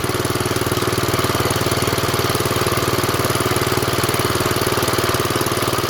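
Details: 1970s Wheel Horse C121 8-speed garden tractor, Kohler single-cylinder engine, just started after fuel pump rewiring: quick, very even putter at steady speed with no skips or stumbles; normal idle.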